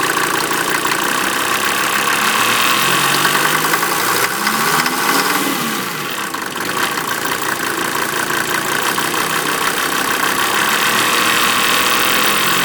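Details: 1988 Mercedes 190D diesel running on waste vegetable oil, rough idle with a harsh metallic clanging far louder than normal injector tick. It also has heavy smoke and fumes, and the cabin reeks of diesel; source undetermined, owner asks if normal.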